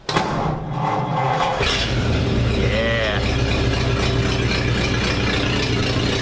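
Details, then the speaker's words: 1947 Ford panel truck, before exhaust repair, short pipe ending at the passenger door: cranks, catches and settles into a loud, deep, steady idle rumble; noisy and smelly from the open pipe. "sounds really good but it stinks like crazy and it's borderline obnoxious when you're driving it like down the road"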